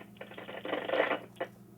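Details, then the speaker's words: HME HS6000 wireless drive-thru headset, microphone powered on and spoken into; irregular scratchy static crackle in uneven bursts about a second: loose microphone connection. "These are very expensive, nearly $500, and the microphone goes bad and makes noises. As you can see on this one, it is making noise."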